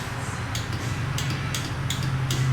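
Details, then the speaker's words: KTM 125XC two-stroke, warm, starter button pressed at race start: sharp single solenoid clicks about every half second with no cranking. "i think you guys can hear that um the solenoid clicking um it's got no no go"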